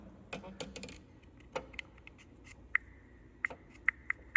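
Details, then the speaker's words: 2019 Toyota RAV4 with blind spot monitor failure and right mirror indicator stuck on: with the buzzer plugged in, quiet cabin with scattered clicks then short high chirps about every half second; buzzer ticking. "so while testing it I noticed if you unhook this if you unhook this buzzer the light goes out and you plug it in you can hear an audible"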